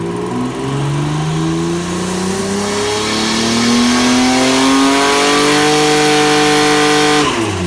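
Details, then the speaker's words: Pontiac GTO race car on a dyno with factory ECU and injectors, about 421 flywheel hp, pulling hard under load and boost; raspy lawn-mower-like chuff from an exhaust leak at a manifold flange not machined flat to the head. "I had an exhaust leak which I didn't know too much of you could just hear it and some earlier pictures but yeah it wasn't really until it started coming on under load under booze that you could hear it quite quite layout sounds a little bit like a lawn mower"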